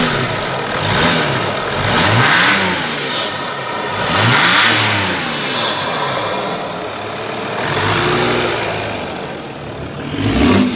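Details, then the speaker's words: 2005 Mercedes E320 CDI turbo diesel after bigger turbocharger install, no leaks, running without air filter: repeated rev blips climb and fall cleanly, smooth turbo whoosh rising on each pull, turbo pulling slightly louder, no rattles; normal revving. "I may be a little bit louder the turbo does sound like it's pulling a little bit louder"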